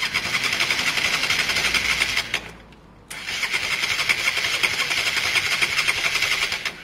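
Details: Honda Varadero 125 on stand with a bit of choke, turned over gently during spark-issue diagnosis: fast even cranking churn with a few hopeful catches, never fires; not using fuel, battery dying; carb clean still pending.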